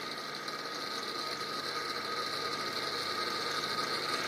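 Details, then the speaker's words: Fertilizer injection pump gearmotor, unloaded after new gearbox oil and a new key replacing a worn one: even gear whir with light fast ticking, no low rumble anymore; running smoothly, remaining vibration attributed to the fan. "I put a new key in that should make it run smoother. I don't know. Let's see what happens when we plug it in. Doesn't have that rumble to it anymore."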